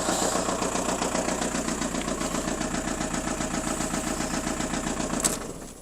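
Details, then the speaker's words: 1999 VW Golf GT TDI idling with steady, even knocking ticks about two and a half per second following engine speed; not overheating, coolant and oil levels fine, cause of the knocking engine unknown. "i'll just let you listen to that a minute you can hear it's a bit noisy but you could drive this away and you probably could drive it uh you know 100 miles or so and it might be fine but you know it's got an issue"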